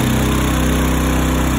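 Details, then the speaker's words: Two newly revived Honda E2000i generators linked with a parallel kit, each rated 2000 W peak and 1600 W running, loaded by a battery charger on high: a firm, steady hum holding pitch without surging; running healthy under load. "there you go you can hear the generators ramped up now we're gonna turn on our battery charger that's set on high that will ramp those generators up to max"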